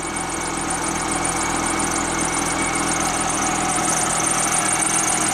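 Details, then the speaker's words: PT Cruiser petrol engine at idle, just started on a new battery, misfiring badly with a thin, chirping squeal from a squeaky accessory belt. Cam gears were left loose, a pin possibly sheared and timing slipped. Likely no coolant. "And you can hear it's misfiring. It's misfiring pretty bad now. But the motor sounds good, other than we got a squeaky belt over there."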